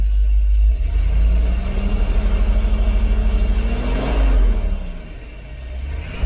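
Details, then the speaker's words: Freshly rebuilt 454 Big Block Vortec Chevrolet V8, first start, warming up: deep smooth exhaust note climbs and falls evenly as revs are raised and dropped, no knocks or ticks; oil pressure 50 psi, no fluid loss, healthy. "let's make sure that we're all up to pressure here oh yep good double check our oil pressure oh wow we are just right there at 50."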